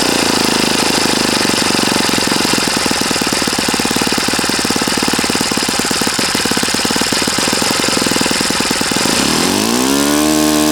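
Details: Saito FA-40a four-stroke glow engine, 11x6 Master Airscrew prop, Omega 10% fuel, valves set, needle opened 2.5 turns: loud, fast, even buzz holding steady, then a clean rise in pitch as the throttle opens; healthy normal running.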